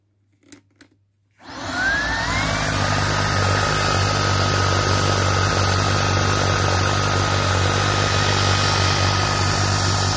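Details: Shark IZ251UK Anti Hair Wrap cordless stick vacuum: motor spins up in about a second to a loud, harsh roar with a piercing steady high whistle; running abnormally noisily.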